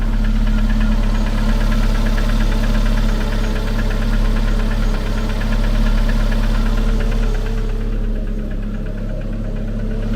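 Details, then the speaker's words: At idle, a sharp regular tap comes once per crank turn, not once per camshaft turn, so the connecting rods are ruled out. The source is still unknown; the pump is a possible cause. "on se rend compte quo que c'est bien chaque tour d' braquin mais pas un tour de le braquin que il y a ce claque. Donc déjà, c'est pas les bies, c'est sûr."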